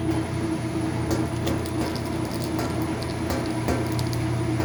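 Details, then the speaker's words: Washing machine that won't spin, loaded with wet towels, on full rinse: a steady low motor hum with no rising swish of rotation. The drum stays in the same spot; cause not confirmed, towels suspected. "Is it spinning? Let's see. No, still in the same spot."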